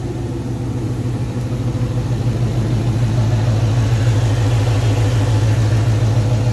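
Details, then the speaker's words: 2011 GT V8 with newly installed eBay long-tube headers and cold air intake, tune not yet loaded: steady even burble at idle, smooth low drone, no misses or ticking; running fine. "Everything's running just fine. Got the new cold air intake."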